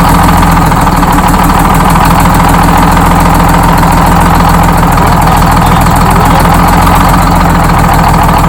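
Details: Freshly rebuilt Detroit Diesel 6-71 in GM bus 3751, idling after its first start: loud steady idle with an even, rapid low beat and no knocks or misses; runs smoothly.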